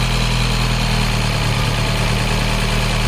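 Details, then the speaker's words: 2012 Mini Cooper 1.6 manual (new fuel pump; earlier crank-no-start with low high-pressure fuel code 002BFA) now running: steady, even, smooth idle with no misses, knocks or hunting, a normal idle. "okay guys so it actually runs pretty good I can't believe I hooked up to the vacuum pump I completely missed that"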